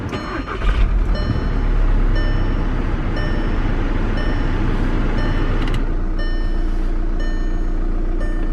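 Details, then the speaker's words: 2009 Volkswagen TDI diesel: short crank then quick start settling into steady even idle clatter with no misfire or knock; starts fine but glow plug light flashes and check engine light is on. "So it starts up just fine, but it is flashing the glow plug light."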